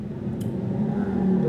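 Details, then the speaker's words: Toyota Kijang KF20 driving: steady low drone rising slightly with speed; transmission and differential hum attributed to expired, sticky, dirt-laden gear oil, fix is replacing transmission and differential oil with the same brand. "ini kebetulan kalau suaranya dengung gini ini dari oli ya oli yang udah kad luarsa lengket dan udah ngegram kotoran gitu ya."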